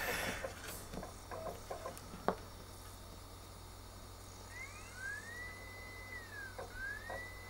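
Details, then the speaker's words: Original Xbox bought as junk, earlier showing error 07: clicks, then a thin whine rising and holding as a replacement disc spins up; the drive reads normally, and the earlier failure was a badly scratched disc. "All right, so the drive does appear to be working. It was just this horribly rough disc."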